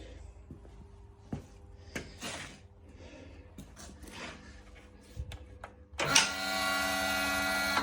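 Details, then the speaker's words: Old device, rewired with a new plug (old red/black/green wiring), switched on: after handling clatter, a steady even motor buzz with no stutter or rattle; it works normally. "Right, put a new plug on it. Turn it on, it's buzzing."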